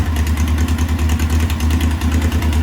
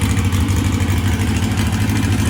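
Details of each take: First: 1641cc air-cooled VW engine with counterbalance, electronic pickup, no MSD, on Weber IDF 40 carburetors: lumpy, uneven hunting idle; carbs still untuned, owner thinks they're running short of fuel and need bigger jets. Rough idle from untuned carburetors. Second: 1641cc flat-four with counterbalance, Weber IDF 44 twin carbs, first start after rebuilding a carb's throttle shaft and plates, linkage not yet connected, timing still unchecked: steady, even low burble that now holds a smooth idle with no misses.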